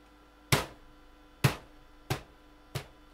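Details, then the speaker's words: CD-ROM drive eject failure: four sharp clicks about a second apart with no motor run after them; the mechanism tries to open but the tray stays shut. A sticking magnet in the drive is suspected, not confirmed. "You'll hear that it is making a noise that it wants to open, but it's not working."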